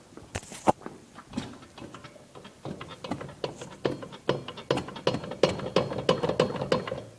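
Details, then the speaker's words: Warrior 350 ATV rear wheel turned by hand: uneven gritty clicking, about three a second, from a shot rear swingarm bearing (one side) whose rollers mostly fell out after installation; the other side's bearing is also in poor condition. "need some new bearings someplace swingarm bearings i put them in there i thought damaged them apparently mist of all the rollers came out and if you hear that clicking noise it's actually just bearing here"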